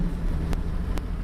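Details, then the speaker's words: 2001 Ford Mustang 3.8 with new EGR valve, wires and plugs, old coil pack; fourth gear, 1200 rpm, full throttle: deep lugging drone with uneven stumbling pulses and sharp pops; misfiring badly under load, idles fine, shops can't diagnose. "shaking bad. Fourth gear, 1200 RPM, full throttle, shaking, misfiring real bad."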